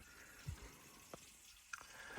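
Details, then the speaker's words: Potterton boiler central heating pump, not working since a flooring fitter cut a pipe and the system drained, was repaired and repressurised: quiet pump with sporadic gurgles, trickles and pops of water; loads of trapped air, system to be bled, flow sensor next if still failing. "There's loads of air in there. So I'm going to bleed the system and everything, then see what happens."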